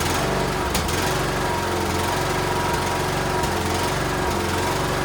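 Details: Cub Cadet LTX1040 riding tractor single-cylinder engine, restarted after the carburetor was pulled to fix a leaking gasket and fuel reached the filter. It runs steady and even with a low rumble and no misses or surging: normal running.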